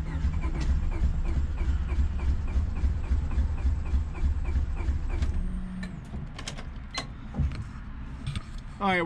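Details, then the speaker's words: Cheap eBay turbo Honda Civic D-series build, first start attempt after priming oil: steady cranking with uneven firing pulses that nearly catch then die; owner suspects a fuel problem and will check the fuel rail feed line. "it sounds like we're having it's kind of feel problem I'm gonna go and check the lines and I'm gonna disconnect the main line that feeds the fuel rail"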